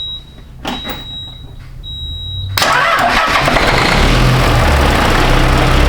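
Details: Peterbilt 379 diesel after replacing fuel shutoff solenoid: a few solenoid clicks, then it cranks, catches at once and settles into a steady, even idle; starts and runs normally.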